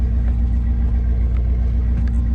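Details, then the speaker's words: LS1 V8 swapped into a Nissan Patrol, first start after the swap, cold: smooth, deep, steady rumble at raised cold-start idle, cam audible as idle drops; smooth cold-start idle. "idling pretty smooth so it's got a cold starter idle obviously and you might hear the cam when it comes down a bit but"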